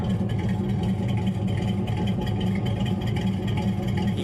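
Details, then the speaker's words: V8-swapped Chevrolet S10, warmed up: deep uneven idle with a mean choppy lope and irregular stumbles, running very rich with white smoke when revved; rough idle with suspected misfire, cause unconfirmed. "alright so right now man this thing's got a mean chop"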